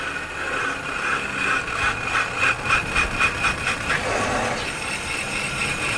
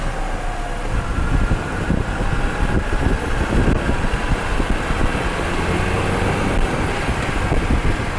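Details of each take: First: Microphone mounted while driving and braking: harsh metallic scraping pulsing with wheel rotation as the car slows; pads likely worn out, damaging the disc if not checked; worn brake pads grinding. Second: Final road test with a microphone installed, after repairing wheel noise when braking: steady road and tyre rumble while driving and slowing, no squeal or grinding from the wheels; brakes now quiet.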